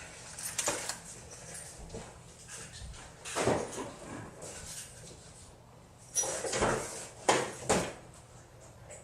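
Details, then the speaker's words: 2002 GMC Yukon Denali V8 at start and idle, before the fix: a steady high-pitched belt squeal rides over the idle. Tensioner pulley, idler pulley and alternator were replaced without success; the correct new serpentine belt finally cured it. "I'd like to not have us high-pitched squeal coming for seven straight hours of car first thing I do is start this thing up so you can hear this squeal"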